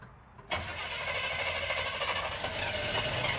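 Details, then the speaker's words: Chevrolet Chevelle barn find, abandoned 24 years, running off fuel poured into the carburetor with low oil: engine catches within half a second and settles into a steady, rough-edged run with strong exhaust note; normal running. "right now we got enough to let her run she idled pretty good"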